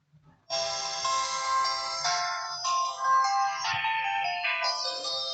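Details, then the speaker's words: Itel it2163 phone, new and used only two days: short bright startup melody plays on power-on with a battery inside, but the screen stays blank; phone powers on with no picture, display circuit suspect. "You can hear the sound. The phone, it is on, but we have nothing on the screen. The screen is blank."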